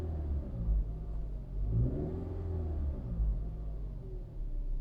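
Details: 2013 Toyota RAV4 engine running with a faint tonal whine that climbs and falls with revs; owner reports alternator, pulleys and pump checked OK, cause unknown.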